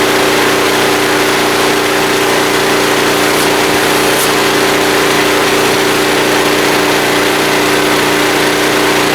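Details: Small blue generator after fuel-system draining, started on choke and running a vacuum: a steady, even drone at one fixed speed with a clear hum and no surging or misses under load; it runs healthy.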